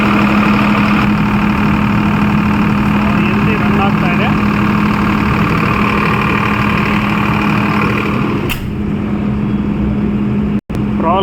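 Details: Kirloskar CPCB-4 diesel generator running with no load (MCB off) after a loose load cable found while checking an under-frequency alarm was tightened: steady drone at constant pitch without dips or surging until shutdown; normal running.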